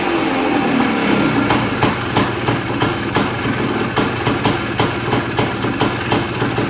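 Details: 1979 Suzuki PE250 two-stroke just fitted with a new 38mm carburetor (old float stuck, leaked, hard starting), started on choke: crisp crackle with sharp pops about three per second, picking up cleanly on the throttle; running well.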